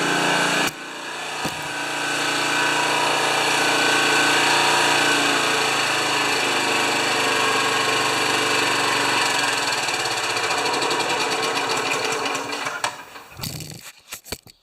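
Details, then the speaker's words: Honda HRA214 mower after oil change and reassembly, checked with a tachometer, these run 3500–3600 RPM; engine holds a steady, even buzz about twelve seconds without hunting or surging, then shuts off cleanly. "These run fast, and they run between 35 and 3600 RPM."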